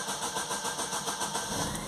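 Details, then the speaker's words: Astra long crank: steady rhythmic churning of the starter turning the engine over without catching for a long time before it starts; fault code P0340, intake camshaft position sensor circuit, sensor faulty. "it's got a long crank but it does start and the fault code is for the well there's a few of them but the one that we're addressing today is the intake cam shaft"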